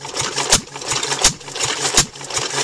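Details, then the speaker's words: Climax stationary water pump after its worn leather bucket washers were replaced with thick rubber ones. A crisp, even clack about every three-quarters of a second over the light engine beat; pumping cleanly with plenty of pressure. "got plenty of pressure now."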